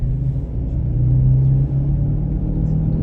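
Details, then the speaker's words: 2006 Pontiac G6 on a test drive: steady low droning growl under road noise that gets louder when weaving to one side; suspected worn wheel bearing, probably front passenger side. Growling noise while driving. "going to go this way, and it definitely gets louder."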